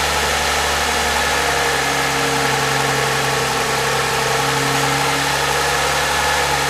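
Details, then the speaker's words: 2014 Toyota Highlander 3.5L, 92,000 miles, cold morning start, camera at front of engine: light metallic rattle over idle, new in recent months; suspected timing chain or valvetrain; one quart overfilled oil; referred to dealer. "okay when their first fire is up he's just a little rattling sound he says never used to do it before"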